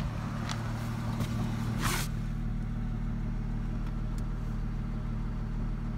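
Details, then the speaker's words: 2004 Ford Mustang 3.8L V6 automatic, warm idle after a minute or two: steady low idle with an irregular pop every second or two, car shaking with each pop; misfire from a faulty new SMP T-Series ignition coil pack, fixed by replacing it. "Now it's starting to do it a lot more. And every time it pops, the car shakes."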